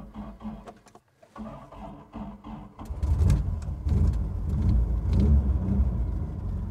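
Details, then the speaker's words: 1987 Toyota Pickup 22R four-cylinder, first start after sitting years in the woods, idling about five minutes on old gas: low, even rumble firming up, no knocks or misses; healthy idle. "we go she sounds healthy well it's been sitting here running for about five minutes so I think it's running on the original gas now even though the tank says empty there must be something in there"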